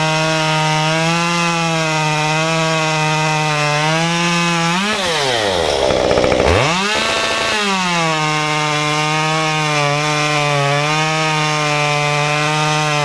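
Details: Modified Stihl 193T climbing saw (muffler mod, ~8–9° timing advance, limiters removed, 93 non-E fuel, 16-inch bar, PS3 .050 full-chisel chain) cutting a log at full throttle: high steady scream sags as chain bites, then climbs back; healthy.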